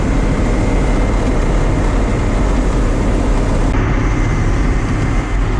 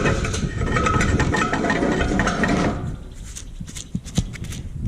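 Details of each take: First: John Deere combine harvesting wheat with a JD 224 header, after the header was repaired because fingers were riding too low and breaking. The engine drones steadily with the header churning and no knocks; it runs well, but chokes down if driven too fast. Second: John Deere 224 combine header bearing just removed, spun by hand: dry, gritty rattling roar that cuts off, then scattered clicks; worn, rough bearing.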